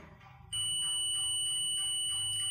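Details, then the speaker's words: Mobile phone ringer tested on a digital multimeter continuity setting reads 9 ohms (8–10 ohms expected): a quiet start, then a steady high continuity beep, so the ringer coil conducts and is working. "इस ringer में भी 9 ओम की readings आ रही है और beep sound भी आ रही है, इसलिए ये रिंगर भी वर्किंग है।"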